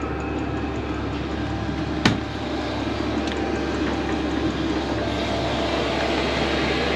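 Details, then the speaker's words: Diesel air heater newly installed in a Promaster van, first run after the initial smoke burned off, blowing really hot air: steady, even fan roar over a soft low hum with no knocks or rattles; normal running. "okay so now it's running and this is how it'll look normally after all the smoke's burned off and it should be blowing hot air"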